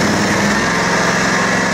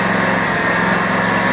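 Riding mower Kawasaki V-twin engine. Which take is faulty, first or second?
second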